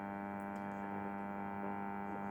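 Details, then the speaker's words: Clipper 5M4 New Zealand valve radio, circa 1954, first power-up at about 140 volts drawing 6 watts, rectifier warming: loud steady low AC hum; one side of the filter capacitor open, crust seen around its pins. "Well, listening to that, that definitely sounds like one side of the filter cap is definitely open. You can hear that AC hum."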